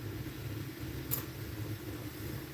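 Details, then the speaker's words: Corsair AIO radiator fan (possibly H140) on a PC, previously sounding awful, now running: steady even low hum with no rattle, scrape or ticking; sounds just fine. "it sounds That sounds just fine."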